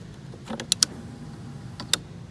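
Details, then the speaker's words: Ford OBS truck, key on, engine off: a few crisp clicks from the fuel pump relay as the fuel pump cycles to prime after refitting the ECU. Normal operation. "Put your finger here. You'll hear this clicks. That's the cycling of the fuel pump."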